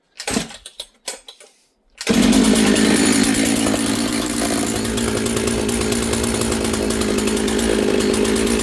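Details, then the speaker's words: Husqvarna 66 chainsaw bench run after assembly: high, buzzy idle that stays fast and is slow to return to idle; running lean, attributed to air density and elevation, carburettor adjustment needed. "You can hear it's lean. It's idling kind of fast and it's slow to return to idle. And again that is due to um uh air density and elevation."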